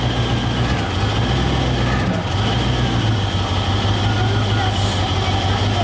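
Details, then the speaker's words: 1990 Range Rover Classic V8, stored over 10 years, after cleaning the breather flame trap and remounting it to the valve covers: low uneven idle, revs drifting up and down, still slightly rough and hunting. "so as you heard it idles a little bit roughly it go up and down and up and down"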